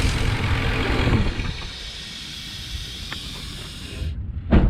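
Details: 2003 Ford Expedition with codes P0171 and P0174 (lean, both banks): thin steady hiss over the idle rumble until shut-off, air sucked through a cracked hose on top of the PCV valve; vacuum leak, fixed by replacing the PCV valve and hoses.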